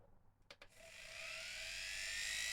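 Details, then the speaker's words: Appliance motor run on 31 V DC: after a couple of clicks it winds up into a clean, steadily rising whine with no crackle or rub, no commutator sparking; good speed and torque, healthy. "No sparks on the commutator. It's working pretty well."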